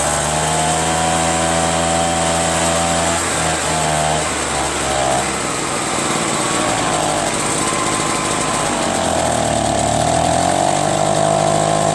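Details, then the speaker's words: Curb-found Echo PB-403T two-stroke backpack leaf blower after carburetor cleaning and magneto reinstall, kill wire disconnected: high buzzing note, fairly steady, dips briefly then recovers; running on its own, owner still plans a new carburetor. "How about it? Got it started. Well, now all I need is a new carburetor, right?"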